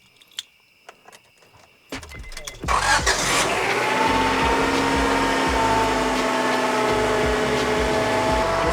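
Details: 1997 Honda Accord, first start after replacing the blown heater hose and refilling coolant: a few clicks, a short crank, then a smooth, steady idle with no misses; runs normally.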